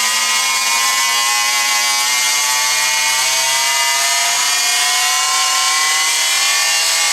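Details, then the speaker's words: Rockwell Sonicrafter oscillating tool after repairing the speed control circuit (broken resistors, bad solder joints on the chip), run from speed one upward: constant high buzzing hum with no cutting out, pitch rising slightly with speed. Runs smooth and steady. "oh wow this last way it's supposed to sound nice and steady"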